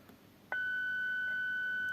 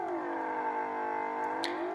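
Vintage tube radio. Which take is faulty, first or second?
second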